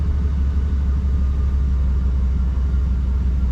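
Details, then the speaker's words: 1992 Chevy C1500 V8 after timing adjustment and tune-up, idling at about 700 rpm: deep, steady low rumble with even beat, no misses or knocks; smooth, healthy idle now firing on all eight cylinders. "right around 700. oh that's perfect absolutely perfect sounds so much better when it's firing on all eight imagine that"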